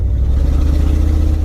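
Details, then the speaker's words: Z28 Camaro (LT1) just bought, driving home under load after overheating earlier, temperature now staying down; very loud raw low rumble with an uneven stumbling beat, missing hard but running smoother than when hot; hard misfire plus a major exhaust leak. "yeah you can hear it missing it's missing hard but it's running actually a little bit smoother than it was when it overheated earlier"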